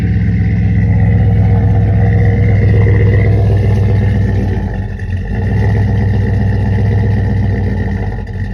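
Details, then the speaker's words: Cadillac Escalade V8, not started in a few days, cold day: deep idle rising and falling slowly with brief dips in engine speed; slight surge. "surging a little bit it ain't been started in a few days"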